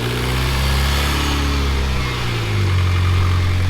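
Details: Freshly rebuilt Mitsubishi Evo X engine after its first start: a smooth, even idle that steps up slightly in speed and stays steady, with no knocks or misses. A check-engine light came up for a crank position sensor B.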